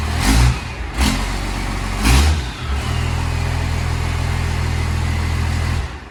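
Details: 12V Cummins diesel swapped into a 1972 Ford crew cab, starting with new exhaust: cranks with heavy bursts, catches, settles into a steady, deep, even idle with clean exhaust note.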